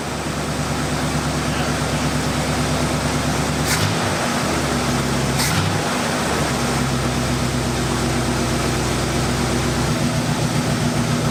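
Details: 1972 Cutlass after 33 years in storage, idling: a steady, even low hum at constant speed with no hunting, stumbles or misfires. It sounds much smoother now; initial timing is about 13 degrees, and the idle is very steady.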